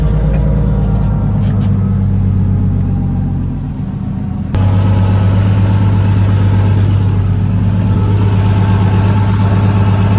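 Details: 1JZ-swapped S14, after refitting the wastegate, up/screamer pipe disconnected, exhaust collector hot: steady, even low idle rumble with no puffing or ticking; no wastegate or exhaust leak found while chasing boost loss.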